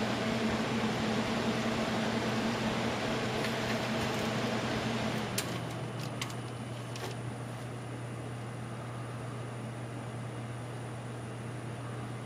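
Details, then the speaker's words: Scythe Susanoo CPU cooler with four 100mm fans at maximum speed, camera placed near to listen: steady airy whoosh with low hum, no pulsing or rattle; normal high-speed fan noise. "If I turn it up to maximum, there is a fair bit of fan noise then."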